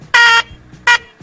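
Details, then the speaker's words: 2008 Nissan Versa, original horns that had kept blowing the fuse: two short, thin nasal honks, about a quarter second and shorter; a weak, choked horn lacking any deep tone. "Let's disconnect this horn, a new one, and let's go over here, and that's the old one."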